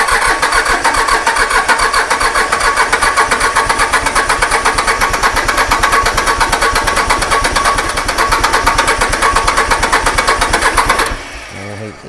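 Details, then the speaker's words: Iseki mini diesel tractor that sat for two years after refusing to start: steady fast cranking about three beats a second for eleven seconds without catching; no start, compression presumed present, cause unknown. "Right you hold on to that and we're just going to have to crank it to death cuz he's trying"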